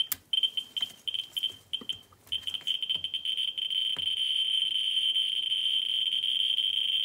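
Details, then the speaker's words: Ludlum 14c Geiger counter with Ludlum 44-3 gamma scintillator probe reading a vial of thorium dioxide: rapid high-pitched clicks quicken into a near-steady buzz at roughly 8,000–9,000 counts per minute, a strong radioactive source. "I was sitting around eight to nine thousand pounds per minute"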